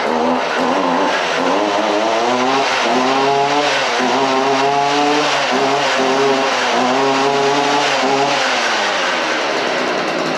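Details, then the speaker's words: Stihl FS 55R two-stroke weed eater, started on choke after priming the primer ball and adding gas: high buzzy note that rises and falls with the throttle and keeps running steadily; it fires right up and runs fine. "I ain't sure which way this thing's supposed to be to to run she fires right up"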